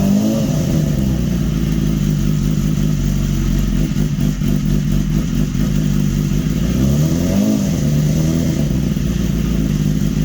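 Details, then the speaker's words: 2015 BMW S1000RR with an engine swapped in from a crashed bike, first start after installation with power foam still clearing: catches and hunts unevenly with surging revs and smoke; rough first start, no warning light. "I got to check the oil now woo Smokey well at least it started yeah"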